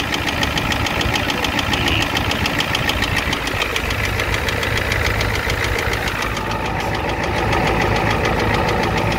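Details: 1988 Ford F250 7.3L IDI diesel at idle: hard, rhythmic clatter about 3.5 knocks per second above the idle rumble; engine knock with a high-pressure fuel line leak, white/grey exhaust smoke, smoke from the oil dipstick, oil in the add zone.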